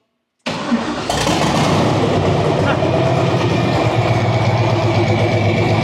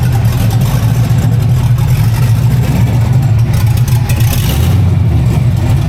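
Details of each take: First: Model A sedan with a newly installed used engine, first start after hosing off and running the pump; silence, then it catches right away and settles into a steady, even idle with no knocks or misses; starts and runs clean. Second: Newly installed used engine in a Model A sedan, first run with no tune: loud, steady low rumble, slightly uneven and unsettled, no knocking; runs poorly without tune, oil pressure good, not noisy.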